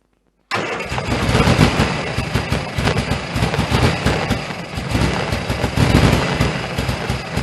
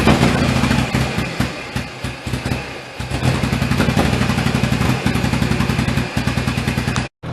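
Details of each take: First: 1098cc A-series engine in a Turner Ranger Mini-based tractor, cold, SU HS2 carb just serviced and refitted. Catches straight off the crank, then runs with an uneven, lumpy beat and wavering level; rough because there's no choke. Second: 1098cc A-series engine in a Turner Ranger Mini-based tractor, after SU HS2 carb service and resetting a wrong points gap, warming up outside. Steady, even low thump at a brisk idle, no misses; runs cleanly.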